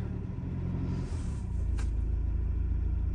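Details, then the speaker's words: Camper van diesel in Swedish arctic cold, -25°C overnight, idling after a hard cold start with partly iced, diluted coolant and the starter battery charged; low steady even rumble, about four beats a second, normal idle. "But let's leave it idling whilst I tidy up the back and get out of here."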